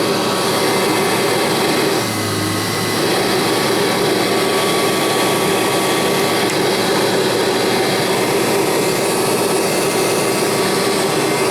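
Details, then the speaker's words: Kirby Heritage vacuum running: steady, even motor whir with a smooth airy hum and no rattles or pitch swings. Normal, quiet running, not loud at all. "it's a nice quiet machine off the tile tell you that the Heritage is a nice quiet machine it's not loud at all"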